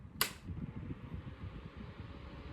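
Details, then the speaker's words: Restoration Hardware No.8 100mm desk fan after cleaning/restoration, switched to speed two, faster than speed one; a click then a faint steady low whir with no scraping, ticking or wobble, running smoothly. "That is I feel like that's faster than before. That's not that bad."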